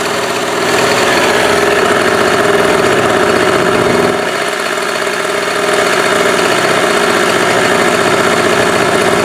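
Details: Cheap inverter generator after a year stored in humid barn, fresh gas and stabilizer added: steady even quick putter with one brief load dip before settling; running healthy.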